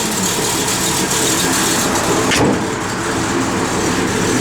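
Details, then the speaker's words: 1971 Chevrolet Chevelle SS, 383ci small block with Comp 270 cam, roller rockers, Holley dual-feed 4bbl, headers, Flowmaster dual exhaust: steady, slightly lumpy idle with choppy exhaust beat, revs quickly; normal lopey idle from performance camshaft. "Nice little comp cam in it. Car gets its R's quick. It runs."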